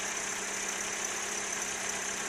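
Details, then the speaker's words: 1976 Toyota Corolla TE31 old four-cylinder before sale: quiet, even idle with a steady low hum, no knocks or stumbles; it runs really smooth, a normal idle. "there's something you could do with a spring that'll make it so it'll work as it's supposed to uh you could tell it runs really smooth"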